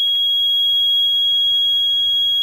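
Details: Sterling dump truck with a Cummins N14 that stalled loaded uphill, being diagnosed for crank-no-start; steady high-pitched buzzer with the key on, stop-engine warning light on, so the engine computer is powered.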